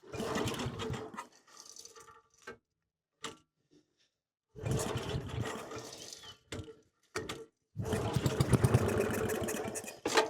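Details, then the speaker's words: Lincoln Weldanpower 150 welder/generator gas engine: repeated rope pulls give short chuffing bursts and the odd puff but it never runs. No fuel reached the plug and the fuel line is hardened. "I'm sure if if I kept yanking on this thing I probably would have got it to run there was Puffs it was trying"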